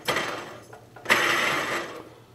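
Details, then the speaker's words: MTD White LT200H riding mower (20hp Briggs) during deck repair: a pulley spun by hand gives two rough, gritty bursts as it coasts down. The bearing sounds dry and worn and likely needs replacing; the belt is torn. "oh sounds like it needs a new one anyways the belt is torn"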